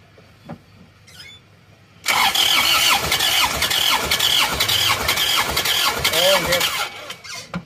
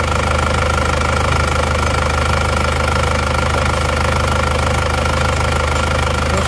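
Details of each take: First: Isuzu Panther Touring diesel that died after running out of coolant on the toll road, cranking during compression test; uneven lumpy cranking, weak pulses, belt squeal; low compression, about 3 bar on cylinders 2 and 3, only number four good, scoring found. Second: Isuzu Panther Touring diesel rebuilt (cylinder block bored, new liners) after overheating from coolant loss on the toll road, nozzle pressure readjusted from very low; even steady idle clatter with constant low hum, no misses, smooth.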